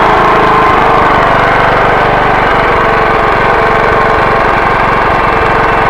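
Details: Generator that sat 6 years, first start after carburetor cleaned of old gunked fuel with carb cleaner: fast, steady putter with even firing, no hunting or misfires; running normally.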